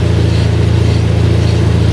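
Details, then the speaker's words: Mazda RX-7 GT-R (FC3S, right-hand drive) rotary engine, Blitz blow-off valve and upgraded plug wires: deep, steady rotary hum with a quick, even pulse at idle. Unidentified engine noise; cause unknown. "again that noise if you hear it if anybody knows what that might be please let me know in the comments below"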